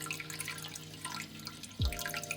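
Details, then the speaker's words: Reef aquarium in a bedroom, Herbie overflow method: continuous light trickle with scattered drips and splashes from the overflow drain. "The first obvious source of unpleasant sounds on my aquarium is the overflow. It can cause problems ranging from a minor trickle"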